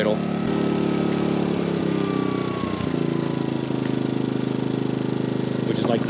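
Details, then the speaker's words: MaxPeedingRods 3200 W inverter generator switched to low idle (eco mode); steady, even low hum, no knocks or surging; normal eco-mode idle. "okay let's go straight to low idle"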